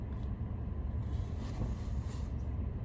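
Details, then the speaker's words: VW Polo sedan with Lemförder tie rod ends after 5 years and 160,000 km, driving in winter: a steady, low droning rumble at cruising speed with no knocks or clunks. This is loud tyre hum, road noise from the tyres. "скажите что расстроился что-то я с этой резиной так гудит она как едешь на УЗИ ой на этом на каваз как"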